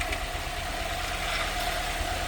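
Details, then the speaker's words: Ford Fiesta ST150 after an engine swap with new plugs and leads, first start out of gear, warming up to bleed the cooling system: starts first time into a smooth, steady idle with an even low rumble and no knocks or misfires; normal idle. "Um and then yeah, that's a good start. Start the first time."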